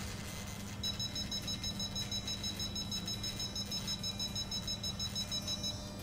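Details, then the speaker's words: Futaba CGY760R helicopter gyro setup, rudder servo limit raised too far while holding stick: steady low servo buzz/growl under quick key beeps as linkage is stretched and loads the servo; reduce to around 115% until growl stops. Servo overtravel binding. "If you increase this much, the servo will start growling. If this is the case, the linkage is now stretched and the load is applied to the rudder servo."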